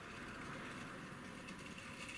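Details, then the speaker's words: Tri-ang Class 08 model locomotive crawling at slow speed on a vintage controller: rough steady buzz with a faint whine, pitch holding even; owner suspects the controller is putting out almost half-wave power. "that's certainly sounds to me like it's almost on half wave"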